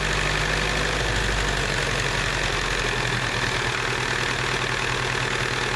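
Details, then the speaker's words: IH B275 diesel tractor bought as a non-runner: a steady diesel clatter at idle, firing evenly on all four cylinders with no misses. The injection rack was stuck and a bad governor is suspected; a hose is leaking. "sounds like it's running on all four"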